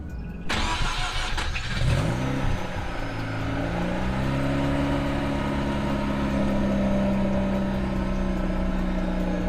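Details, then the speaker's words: Mazda RX8 rotary, cold start just after installing Megan Racing exhaust: short crank, catches, blips up, then settles into a smooth, even, slightly rising drone; normal cold start. "It's gonna be a cold start, so you'll hear it."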